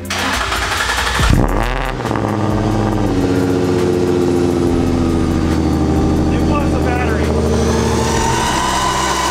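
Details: Old racecar's first cold start after about five months in storage, on a cold day, around the seventh attempt, with the fuel pump priming first: short crank, then a loud bark and a steady, slightly raised, clean cold idle. Finding: normal cold start and fast idle.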